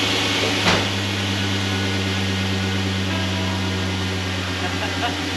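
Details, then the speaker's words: LS-swapped V8 idling after a new flex plate and tightened torque converter bolts: smooth steady low hum, no ticking or rattling from the flex plate area. "No tick, it's amazing what will happen when the bolts are friggin' tight."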